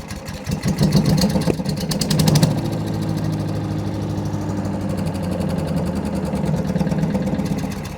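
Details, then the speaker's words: Wood chipper engine after welding a broken mount ear and bolting the loose fuel tank tight to stop rattling, first run after about a week: cranks briefly, catches at once and settles into a steady, even idle with no misses; normal start and idle. "Let's hear it run. Hopefully it'll rattle a lot less now that that tank's bolted on tight."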